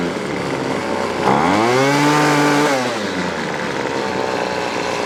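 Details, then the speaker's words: Weedeater Featherlight SST25 25cc two-stroke trimmer: revs up then drops to an idle still too fast to stop the head spinning; backing out the idle screw doesn't lower it. "Technically, if this was in good working order, you should be able to back out the adjustment screw to the idle until it stops. That is not the case."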